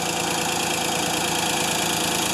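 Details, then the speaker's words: Ford 2600 tractor started after sitting a year, at idle: a fast, light, even ticking over a loud steady idle, sounding like a valve clattering. Owner doubts a rod bearing and plans a valve adjustment; cause not confirmed. "like I said my diesel version of this tractor makes the same noise but it definitely has a valve you hear that valve flattering away"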